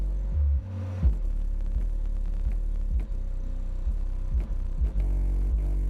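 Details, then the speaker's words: Boss Audio CXX12 1000 W 12-inch 4-ohm subwoofer on an NVX XAD13 3000 W amplifier at low power: heavy bass with short sharp pops on the hardest hits, roughly every second. The box may be too big; the cause is unconfirmed. "I don't think it says anything else it just says thousand Watts on it you hear that little pop that little pop"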